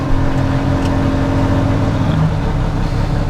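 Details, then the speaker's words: Suzuki Carry mini truck cold start on choke at about 25–30°F after night freeze, with newly fitted carburetor; fires right up and settles to steady even low rumble, no misses or knocks, slight smoke — new carb appears to help. "Choke her up there and see if she fires. Look at that. Sweet, fires right up."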